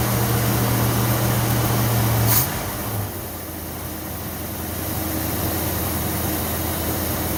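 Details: 1964 Ford Thunderbird V8 after distributor replacement, plug wires moved one spot over: started instantly, steady even idle with smooth low rumble and no misses, ticks or knocks; timing still to be fine-tuned.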